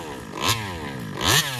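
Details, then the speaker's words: Taylor RC 35cc reed two-stroke engine, newly installed and being tuned, revs up and sags in surges about every 0.8 seconds with the throttle held pinned and never settles; it won't idle, carburetor suspected and to be swapped. "it won't idle"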